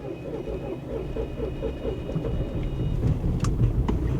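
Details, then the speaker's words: Cheap salvage Bentley Flying Spur at auction on a cold, wet day, needing some accelerator to start; steady cranking at about four beats a second, briefly catches with rough firing, then dies; a compression issue or a plugged exhaust filter is suspected: starts then stalls. "it started n it won't run it tries to start then it just"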